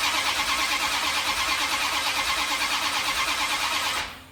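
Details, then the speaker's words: 1972 Dodge D100 with a new solid roller cam and Speedmaster heads, sparking at the plugs: cranking at about three beats a second for four seconds without a catch; the distributor is found off at number one, to be re-clocked. "Just before top dead center. My number one is right here. Oh, Shazam. Yeah, it's a little off here, bud. But I'm going to clock that baby."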